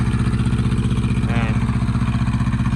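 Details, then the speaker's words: Thermo King TriPac diesel unit bench-tested off the truck, briefly run without coolant connected: even, rapid diesel thumping at steady idle, no knocking or excessive smoke; engine healthy. "So cut it off. Just wanted to hear it start. There's no knocking, no excessive smoking."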